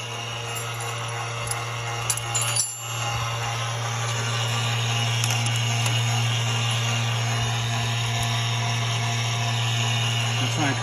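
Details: A steady, low electric-motor drone runs nonstop from an ABS pump that won't shut off. It was fixed by fitting a used ABS module from a junkyard with non-matching part numbers, which still works.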